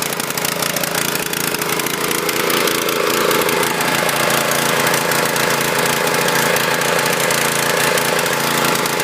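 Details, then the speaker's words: Husqvarna PW3200 pressure washer with a Briggs & Stratton CR950 208cc horizontal-shaft engine, submerged in Hurricane Ian flood water. Contaminated fluids drained, fresh fuel added; it starts without choke and runs rough, with an irregular, lumpy, sputtering single-cylinder beat. "running a little rough but I'm impressed for a machine that was covered in water submerged we got this thing to fire off"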